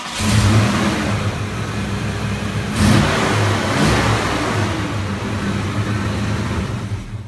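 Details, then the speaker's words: 1991 Ford Mustang 5.0 convertible, apparently stock V8, revved twice: loud raspy exhaust drone with no clear tick, louder than when bought and worsening; owners suspect an exhaust leak underneath, unconfirmed. "the exhaust has gotten a lot louder since we started bought the car we think it's there's an exhaust leak under there and it's getting a little bit worse"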